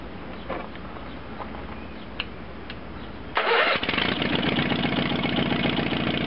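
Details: 1970s Case 446 garden tractor with a no-crank fault fixed by restoring the ground to the starter solenoid: short crank, then it catches cleanly and settles into an even, steady idle.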